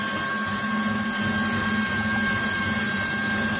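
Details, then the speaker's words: Ford F-250 idling with misfire complaint, hood open: constant airy hiss with a faint thin whistle over a rough idle, sounding like a pressure cooker; vacuum leak, searched for with carb cleaner spray. "te alcanza a escuchar amigos es estúpido por ahí tenemos una fuga de aire amigos"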